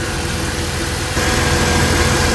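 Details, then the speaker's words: Supercharged Mercedes AMG V6 with 82mm throttle body, 550cc injectors, 175mm crank pulley, warming up around 52°F: normal startup, firm even idle picking up slightly with light injector clatter; healthy. "So that was a pretty normal startup. Right now, all you can hear is just injectors. But man, it sounds really good."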